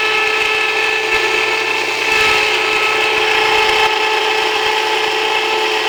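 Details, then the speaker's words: Jiffy Precision electric steel burr grain mill grinding einkorn, switched on before feeding to avoid jamming; steady high-pitched rasping grind with constant motor hum, normal operation. "If you don't turn it on before you start, you're gonna keep it from turning. It'll just jam up. So it's going to be a little noisy."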